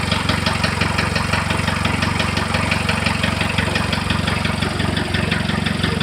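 A sharp, regular tapping of about three knocks a second rides over the idle and stays steady throughout; an idle knock of unknown origin.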